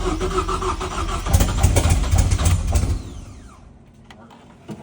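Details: 2.3L Ford EcoBoost swapped into a BMW E36 rally/drift car, first start with fuel pump relay rewired and large vacuum leaks: cranks, catches with a deep rumble, then fades and dies. It fires but won't stay running.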